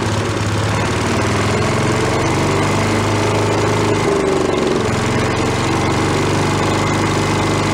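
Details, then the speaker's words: Probably late-1970s/early-1980s Giant Vac walk-behind leaf blower, bought worn from a garage sale, primed from a bottle: loud, steady high-revving two-stroke buzz at full throttle with no misses or surging; normal running. It has no idle circuit. "I'm gonna prime it a little bit with a bottle this might get a little winged we are let's go for a little under full throttle T oh it goes"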